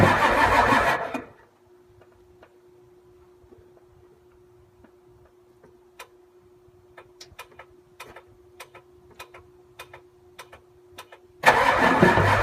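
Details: 7.3 IDI diesel that won't start: two short bursts of starter cranking with a quiet gap between, never catching or settling into idle; crank no start.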